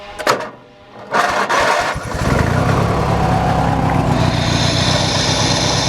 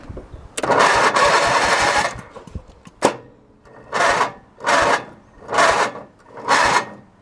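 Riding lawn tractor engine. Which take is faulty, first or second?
second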